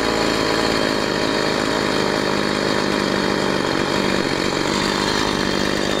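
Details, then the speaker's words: Husqvarna 345 chainsaw after a rebuild: buzzy high-revving two-stroke note that holds rpm briefly off throttle instead of dropping cleanly; suspected getting extra fuel, diaphragm replacement and carburettor adjustment suggested. "bo słyszeliście, że ona przy zejściu z obrotów troszeczkę to obroty jeszcze utrzymuje. Także gdzieś to paliwa, gdzieś tego paliwa więcej dostaje."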